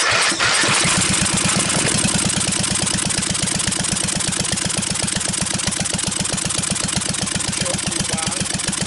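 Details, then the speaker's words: Briggs & Stratton 12.5 HP L-head single-cylinder engine, years on a shelf with mice nesting and corrosion damage, first run after starting fluid, throttle raised from idle with no shutoff: steady, even chugging firing regularly without misses; runs normally. "Alright, that was scary because I had no way of shutting it down. Anyway, we could see this engine runs. Big step forward."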